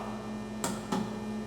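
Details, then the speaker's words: Gottlieb System1 (1977–1980) solid-state pinball powering up, after its five-second display delay: a quiet mains hum, then two sharp clicks as the tilt and game-over relays under the playfield pull in briefly. Normal boot, assuming the solenoid fuse is good. "you could also probably hear that click. These two relays mounted under the playfield, the tilt relay and the game over relay, always pull in for just a second."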